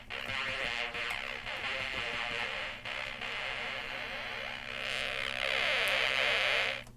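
Bright, buzzy synth tones from a small speaker, clear but thin with almost no bass.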